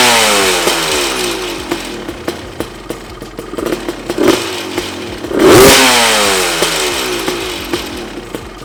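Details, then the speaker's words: Honda CR250 two-stroke dirt bike on first start revving with metallic clatter from loose bolts everywhere, loose engine mounts, seats and silencer, and radiator support lacking rubber mounts. "cette chose est un rattletrap frickin obtenu des boulons lâche partout les sièges le bruit autour du silencieux n'a pas toute monture en caoutchouc sur ce support de radiateur ne sont pas très serrés ouais"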